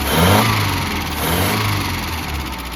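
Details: 1988 Mazda B2200, carbureted, first start after 13 years sitting, with the carburetor fitted and ignition reconnected: loud, blatty exhaust over an uneven idle that swells and settles. Loud exhaust from a faulty muffler.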